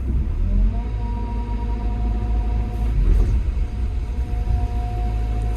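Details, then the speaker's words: Excavator diesel under hydraulic load casting the dipper arm: deep rumble with slow wah-wah rise and fall, engine hunting with machine shaking and jerky levers; negacon pressures found set far too high. "you'll hear it more in the engine tone, because the engine's going wah, wah, wah, wah, wah, wah, wah."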